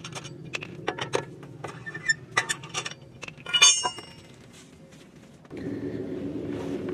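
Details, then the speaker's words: 2007 Honda Fit on lift, front sway bar end link rocked by hand: irregular metallic clunks and clinks, as over every bump; worn end links, replaced. "so every time i hit a bump that's the sound it makes"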